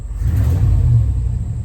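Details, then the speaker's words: 1994 OBS Chevy pickup after distributor and ignition coil swap and timing set with a timing light, before new NGK plugs: deep clean rev climbing and settling smoothly with no hesitation or misfire. "that sounds better than this thing has sounded in quite a while no hesitation"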